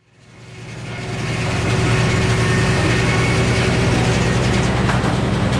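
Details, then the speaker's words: Old Frick sawmill cutting poplar into decking boards: blade winds up to a steady loaded drone with an even low hum, no knocks or squeals; cutting normally before a later breakdown. "And we're getting them cut. Things are working well."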